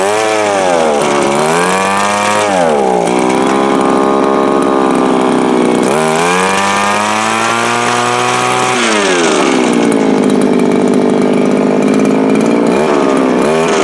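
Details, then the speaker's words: Viper two-stroke ice auger running hard outdoors, needing a carburetor kit: high-pitched buzz at full throttle sags and climbs every few seconds, surging and hunting; owner suspects it is running lean and starving for fuel, runs harder on choke. "That sounds more like it was doing outside. So that sounds to me like it is lean and leaning itself out."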